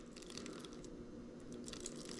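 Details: Bafang G062 RM1000 geared hub motor, opened and regreased with Mobilith 100 SHC, cover not yet screwed on, spun by hand: soft, irregular crunching and squishing, likely from too much grease churning in the gears.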